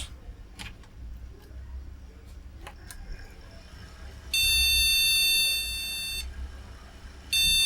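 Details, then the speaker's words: Retro AT PC from a car boot sale, one PC133 RAM strip in the first slot: one long, steady high beep of about two seconds, then another, meaning no RAM detected. "no seem to say no Ram put the analyzer cord in as well so we're not running totally blind"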